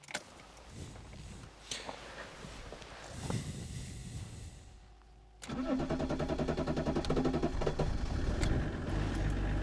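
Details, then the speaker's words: BMW E34 525tds diesel, first start after over 12 (unspecified) in storage on battery, warm day: quiet, then catches near five seconds and settles into a steady, smooth even idle; clean start. "käib mulle jah päris mahedalt käib"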